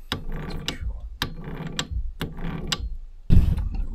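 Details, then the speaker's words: Kubota B7100 tractor gearbox turned by hand during reassembly with new gears and bearings replacing chipped, chewed-up ones: smooth clicking passes with no grinding or rough spots, where it ground horribly before; the problem looks solved. "yeah that's sounding a lot better than it was before that was making a horrible grinding noise before I change those gears so I think that solved the problem"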